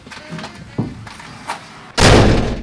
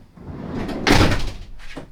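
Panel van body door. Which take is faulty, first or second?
first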